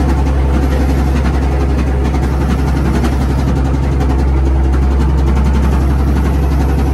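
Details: Old Komatsu WA180 wheel loader diesel idling with a heavy knock three to four times a second, possibly bottom end; suspected rod knock after it died, owner considers engine done, not confirmed.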